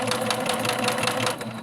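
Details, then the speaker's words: Singer sewing machine unused for 6–7 years, bobbin and bobbin case removed: fast, steady clatter every stitch cycle with a hollow knock near the hook; clanking noise, owner suspects built-up fuzz is causing it. "So the noise is actually coming from here, and I'm going to try to see if it's possibly that maybe that fuzz is creating it."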